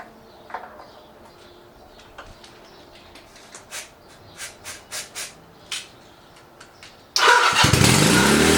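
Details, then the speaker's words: Chinese clone of Honda Rebel 250 engine, starter on left case: pressing the start button gives a harsh, loud grinding whirr as the starter spins without gripping the engine; slipping starter clutch, later replaced with a new one. "The horrible starter noise continues. Ended up buying a completely new starter clutch."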